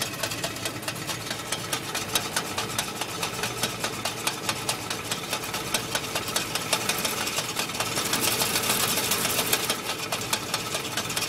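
A fast, uneven metallic rattle rides over the idling engine, roughly two clatters a second, steady throughout; a loose rattle from the clutch area.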